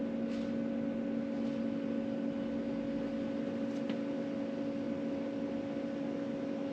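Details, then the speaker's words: Land Rover Discovery 3/4 2.7L TDV6 diesel (chassis from 7A000001), after new fuel filter, ignition on with engine not running, priming cycle: steady electric hum with constant whining tone; fuel priming pump running normally. "<b>So I can definitely hear it moving some.</b> <b>Still making sound.</b> <b>Stopped.</b>"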